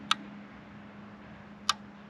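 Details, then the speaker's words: Jeep JL with an ARB compressor installed, relays tested by flipping the aux switches: two crisp single clicks about a second and a half apart over a faint hum; the relays switch cleanly, and the fault was traced to the aux 1 switch wiring. "i'm gonna set the camera here so you guys can hear the relays click when i hit the switch"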